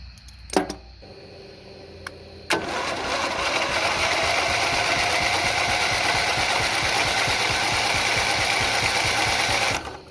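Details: Single-cylinder Briggs & Stratton Intek engine on an old off-road race mower, cranked on external power after seeming locked up: clicks, then a strong, even churn with steady compression beats about three per second; the engine turns freely. Normal starter cranking.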